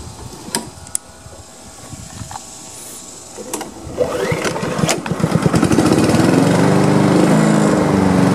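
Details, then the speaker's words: Honda HRM215 mower after repair (new pull rope, unclogged fuel line, carburetor work, new drive belt), started on choke on a hot day: handling clatter then steady, even high-pitched run; fully functional, though drive seems weak, belt slip suspected. "all right well now it is fully functional"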